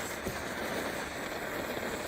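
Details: 1930s Primus 70 pressure camp stove, restored with new jet and running on Coleman fuel. Steady, even hissing roar without sputter or surging; owner suspects pressure escaping at the cap, which may need a new seal. Normal burner roar.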